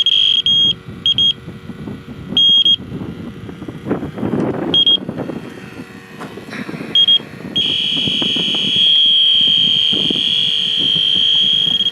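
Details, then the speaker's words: 1988 Jeep XJ A/C compressor being leak-checked with an electronic leak detector: high-pitched beeps in uneven Morse-like bursts, then a steady tone; erratic alarming, possibly from a loose hose on the detector or the probe being bumped. "So, almost sounds like Morse code, huh?"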